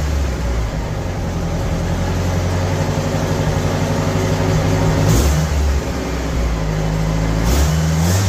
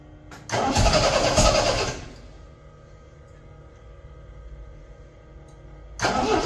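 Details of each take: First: 1975 MGB four-cylinder project car, now firing on all four cylinders: even beat rising and falling smoothly with each throttle blip, no missing; runs much better than before. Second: 1975 MGB running off a five-gallon gas can after first start: uneven, stumbling run that never settles; owner suspects wrong firing order or distributor cap on backwards; misfire.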